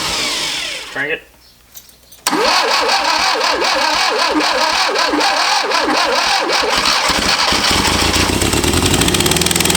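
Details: Barn-find 1971 Fiat Spider 850, 800–850 cc four-cylinder, first start attempt after 30 years sitting: starter whirs about nine seconds with even compression beats but never catches; cranks, no start, one plug wire missing; cause unconfirmed.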